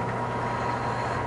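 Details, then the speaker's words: Air conditioning condenser fan motor not working properly: steady low hum with thin constant tone; 10 microfarad run capacitor tests good, so the condenser fan motor is bad. "Yeah. So it sounds like we got a problem there with the motor."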